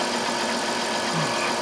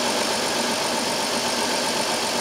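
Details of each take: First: 2002 Chrysler Town and Country, 3.3L V6, after replacing the cylinder 5 coil for a P0305 misfire: even, steady idle with no stumble or missing beat; normal idle on all cylinders. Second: 2002 Chrysler Town and Country 3.3L with code P0305: uneven idle with an irregular stumble against steady background hiss, a bad dead miss on cylinder 5, checked next for spark at the rear coil.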